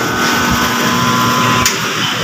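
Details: Mitsubishi L300 Euro 4 alternator on the test bench after the bearings were replaced: steady hum and clean whine with no grinding or scraping, bearings now quiet and healthy.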